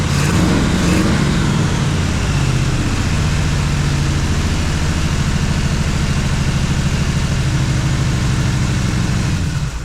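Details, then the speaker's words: Jeep XJ with swapped 350 V8, cam broken in, barely running: an irregular, stumbling idle rumble. An intake vacuum leak reacts to spray near cylinders 3 and 5, and those two run hotter and lean. "Okay, it runs barely. I don't know. I'll have to get into it. I'm fairly certain, well, I know it has an intake leak whenever you spray this side over here by cylinders number 3 and 5. You get a reaction."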